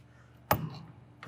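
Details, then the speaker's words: Thermo Scientific TSX -80°C ultra-low lab freezer, 600-box unit, outer door closing over magnetized inner doors; two solid dull clunks about three-quarters of a second apart, latch seating fully and door properly shut. "you want to hear that good clunk and now we know the door is closed"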